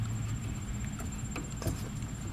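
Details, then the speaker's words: Ford Focus front end noise diagnosis: sway bar end link shaken by hand gives light, irregular clicks and taps from play in the worn joint, which rattles as the suspension works. Worn sway bar end link rattle. "that's that joint worn out here so every time the suspension is working that thing is moving around and rattling"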